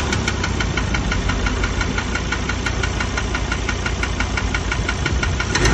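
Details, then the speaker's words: 2017 Ford Ranger, 67,000 km, no power loss or oil use: steady idle with a sharp repeating tick-knock about three times a second; mechanic suspects injector, possibly internal engine, unconfirmed. "mas eu diria que esse barulho é bico. Ou motor mesmo."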